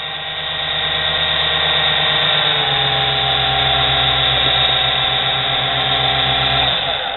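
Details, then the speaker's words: Nano lathe motor of under 1/4 hp, high rpm with little torque, 2:1 (22/44 mm) pulley drive: steady high whine with a low hum that drops in pitch and winds down, the motor spinning with no load. "this motor T drive a toy RC car down the street serious you got to hear it when it no load on"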